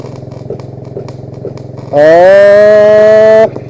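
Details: MIG welding from an engine-drive welder with a wire feeder, after turning down one tap; steady buzzing arc rising slightly in pitch and holding even over engine idle, smooth stable weld.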